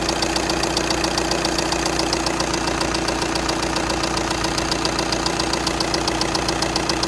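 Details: 2.0 TDI diesel, CFFB engine code, 103 kW, at idle: sharp even ticking about two and a half per second over steady idle; clear tick, cause unknown.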